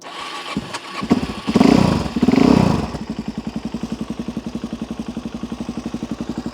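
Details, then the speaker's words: Cold carbureted motorcycle on choke with a little throttle after running too rich: after a few blips it settles into a steady, even idle about eighty beats a minute; normal idle on choke. "now it will sit there and happily happily run"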